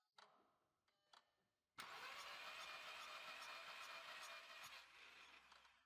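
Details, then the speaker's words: 2004 VW Polo 9N 1.2 litre 40 kW petrol with misfire, compression test on cylinder three: even cranking with puffing rush each turn, air blowing back into the exhaust; no compression. "It's blowing back into the exhaust, so there's no compression."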